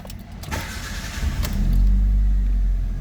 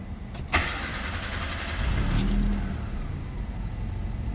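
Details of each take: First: Proton Waja auto 1.6L 4G18 with an idle stepper motor (IACV) fault diagnosed: brief crank, clean catch, smooth even idle with AC on, stepper at 60+ steps, no knocks or misses; normal. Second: Proton Waja auto 1.6L 4G18 MMC, stepper motor (idle air control valve) suspected, AC off: cranks, catches, settles into slightly low, lazy idle; same with AC on despite ECU opening stepper fully; faulty idle air control valve.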